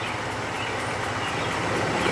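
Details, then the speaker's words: 2002 Acura RSX Type-S after idle air control valve delete, engine not yet warm: slow, soft, lumpy idle around 520 rpm with a low even pulse; idle too low, expected 750 warm, but not stalling. "we're at like 520 right now motor hasn't warmed up"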